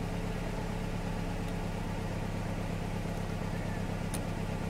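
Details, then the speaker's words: Poorly four-cylinder car engine at idle for an on-car brake booster vacuum test: uneven, lumpy idle with irregular low thump roughly every third of a second, running on three; misfire, one dead cylinder. "What you need to do is start up the engine, and this is a poorly engine. Three cylinders. It's supposed to have four, by the way."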